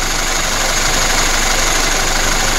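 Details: VAZ 2121 with Solex carburetor, after jet cleaning and idle mixture and ignition adjustment for heavy fuel consumption: even steady idle, no misses or hunting.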